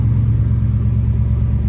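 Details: 1966 Chevrolet Bel Air 4-door wagon, 283 V8, somewhat cold-blooded, cold start: deep, steady low rumble with even beat, no knocks or misses; healthy V8 idling cold.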